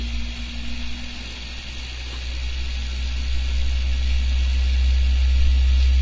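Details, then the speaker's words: Coil drag test rig spinning up; steady low drone building slightly with a rough hum underneath from one poor new bearing (from China) just fitted; noisy bearing. "One of the new bearings I fitted is not very good. That's what you can hear."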